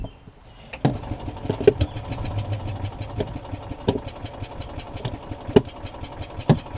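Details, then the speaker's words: Yamaha golf cart engine on choke, dirty carburetor, fuel bowl and jet later drained and flushed: catches but stumbles with irregular, uneven firing pops; carburetor fuel starvation, owner suspects main jet issue. "it does more in choke than it does than anything so let me back it up a little bit i think i think i do have a main jet issue that i've got to deal with"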